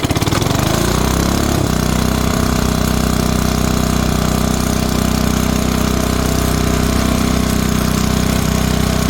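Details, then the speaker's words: 1970s Briggs & Stratton 4hp on air compressor, cold start the day after first run, shroud and belt fitted, choke used: catches within a second or two, settles to steady even thump; normal cold start and idle. "hey guys all right we're back here we're going to see if we can do a cold start on this and see if this will run uh well we know it'll run we started up last night it's the next day let's see if we can fire it up"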